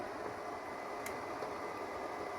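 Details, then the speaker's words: Flea-market Xbox 360 Xenon launch console dated October 30, 2005, running: steady hissing airflow with a faint high whine and no rhythm; the cooling fan runs loud. "Damn, it's loud."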